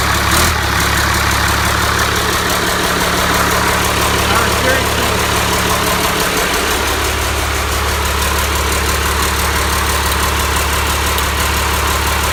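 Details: Cummins 5.9 12-valve diesel, first start on engine stand, hot-wired starter, destined for a truck: steady deep diesel clatter with even low drone; idling smoothly.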